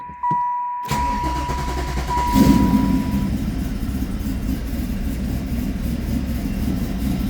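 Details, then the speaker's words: 1995 Camaro Z28, LT1, 6-speed manual, about 38,500 miles, cold start after sitting a few weeks: a brief crank, then it catches cleanly into a loud, lumpy, choppy idle from the cam; a healthy cold start. "Like I said, this thing hasn't started in a few weeks. Normally, it fires like immediately off."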